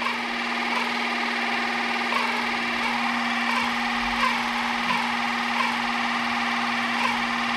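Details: 3D-printed RC outboard with greased gears, running in at low throttle (0–10%): steady electric whine with a slight periodic speed wobble settling out as gears bed in; now smoother and holding the same RPM.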